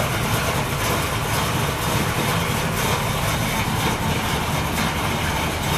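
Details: Freshly built 383 Chevy V8 in a 1964 El Camino, first start, paper air filter: steady, even idle with deep, throaty, somewhat loud exhaust rumble, no knocks or misses; normal idle.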